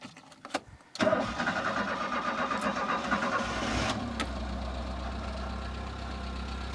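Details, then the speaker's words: Citroën C25 camper engine, previously misfiring, after adjusting the choke. It catches after a few quick cranks and settles into a steady, even idle; the ignition components were probably the cause, now sounding perfect. "listen to this machine pro it sounds perfect I was correct it was the ignition components probably the the coils or the wires and the uh and the actual spark"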